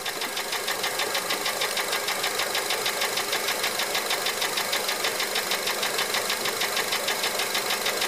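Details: 2004 Honda Element EX AWD, 2.4L i-VTEC, 167,000 miles, no check engine light: fast even ticking about three per second at steady idle, still present with serpentine belt off; valves adjusted, timing chain fine; owner later found piston slap on cylinder 1.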